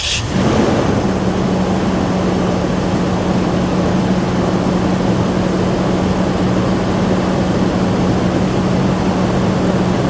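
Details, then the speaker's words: Toyota Tundra farm truck, no keys, after tie rod end replacement and driveshaft reconnection, weak battery charged 5–10 minutes from another vehicle: quick crank catches at once, settles into steady even hum; starts and runs fine. "and just like that we have a running farm truck awesome I'm super happy"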